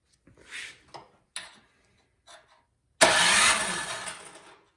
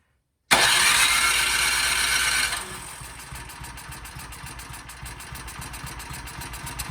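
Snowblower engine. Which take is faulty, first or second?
first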